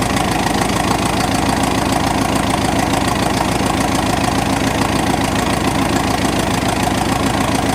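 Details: 1986 Ford F-150 "Big Chief", start in cold snowy weather right after a carburetor swap: steady idle with an uneven chuff about three per second and a slight stumble. Owner says the carb needs adjustment and suspects the real earlier fault was fuel delivery from the tank, not the old carb.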